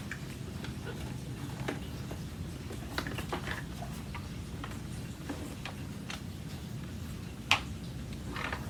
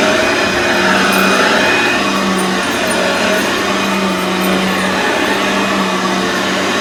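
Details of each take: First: Brand-new Aeros U162C upright vacuum cleaner shaken at unboxing: light, irregular plastic clicks from a loose plastic support piece and its screw, which fits underneath the motor, rattling inside the unit. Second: Aeros upright vacuum cleaner model U162C, first test after unboxing: even, steady motor hum with constant low tone and airy rush, no rattles or surging; running normally.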